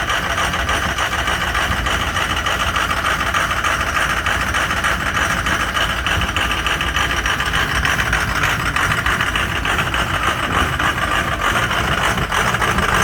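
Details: Ford 6.0 Powerstroke diesel cold start, clattering at idle with a loping, uneven beat that never settles; caused by some bad injectors.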